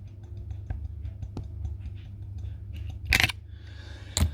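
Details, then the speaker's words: Ford Fiesta 1.4 TDCi removed turbo, engine smoking white with oil-filled intake pipes: shaft rocked by hand forward-back and side to side gives light irregular clicks and sharper knocks, showing lots of shaft play; turbo being replaced with a second-hand unit. "so listen to this is the forward and back play right try again hold on see you can hear quite a lot of play"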